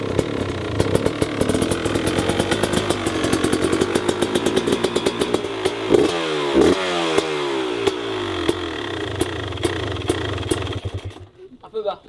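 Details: New 350 two-stroke motorcycle on its very first start, on choke: rough, uneven popping with bursts of revs that stumbles and dies. The engine is fully flooded (engorgée) and running rich.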